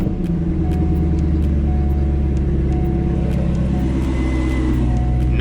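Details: C5 Corvette, about 40°F, run with the AC belt removed to test for a bird-chirp noise. Smooth, steady low idle with no squeal or rattle from the belts; confirms the bad AC pulley bearing as the culprit, not the harmonic balancer.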